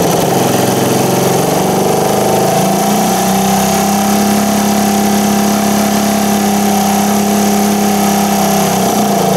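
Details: 1978 Indian moped with an unusual four-stroke gasoline engine, started on choke with the new air cleaner just fitted: steady hum that rises smoothly when revved and drops back, running evenly without misses; normal running.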